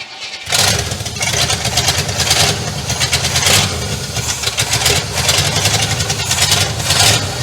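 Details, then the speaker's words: 1967 Cadillac DeVille on its first start in 40 years: the engine catches with a burst, then surges and sags, refusing to hold a steady idle; owner suspects vacuum leaks from reused old lines. "Doesn't want to idle at all. What the hell was that?"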